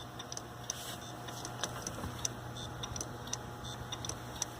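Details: Hitachi hard drive, about 7 years old, failing in a Linux mdraid RAID1 array during replacement: sharp irregular ticks every half second or so over a quiet hum; age-related failure suspected.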